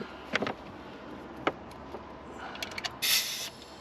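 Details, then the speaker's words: Ferrari 308 V8 during leak-down test (2–3% leakage), engine turned slowly: quiet ticks, then a sudden sharp hiss of escaping air as the cam opens the valve; demonstration of leaking past an open valve. "yeah so actually the cam is going to start to open the valve the piston is going to go down so we're going to lose a bit anyway yeah oh it's gone right as soon as i started turning it what's happened is the air pressure's turned it"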